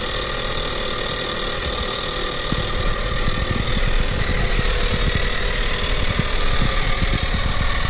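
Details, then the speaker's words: Renault Kaptur 1.6, one year old, 25,000 km, after timing cover resealed for an oil leak; cold-start idle with harsh scraping grind, thin whistle and irregular ticks from the engine's right side, gone once warm, source unknown. "есть посторонний звук на холодную из двигателя с правой стороны пока двигатель не прогреется звук громкий отчетливый"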